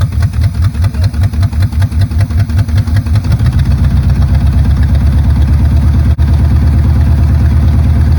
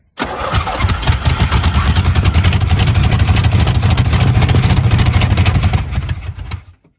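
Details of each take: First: 1970 Chevrolet Chevelle V8 that sat 27 years, after resetting ignition timing and freeing a stuck carburetor float: cranks with rapid even chugs, settles into a smooth, steady lope, then shuts off cleanly. Normal idle. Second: 1970 Chevrolet Chevelle V8 that sat 27 years: catches and runs rough and uneven with irregular heavy thumps about three a second, firing through the carburetor. Ignition timing is way out, not a rod knock; firing order and plug wires checked, timing chain suspected.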